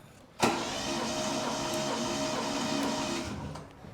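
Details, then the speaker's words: Ford Capri 2.8 V6 compression test cranking on jump pack, cylinder 5: steady cranking with even, regular compression pulses; results 106 psi cylinder 1 (slightly low), others 114-122 psi. "And final cylinder, cylinder 6. So there's the compression check done."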